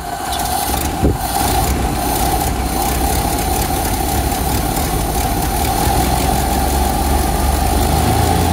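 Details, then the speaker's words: 1928 Ford Model A that sat for years, first start after a carburetor rebuild (old fuel like chocolate milk), new fuel strainer, idle and adjusting needles set one turn out; uneven loping idle with a faint whistle, barely running. "now let's see if it starts it's running but just barely"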